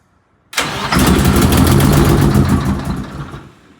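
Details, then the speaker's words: Eagle bus diesel after head work and new larger fuel injectors: quiet, then engine catches with rough chugging for a couple of seconds and fades out, having lost fuel prime; restarts and then runs smooth. "whoa let's try again we lost a little bit of prime there because we put the new larger fuel injectors in it so we had the whole head opened up so it took a minute to start it there"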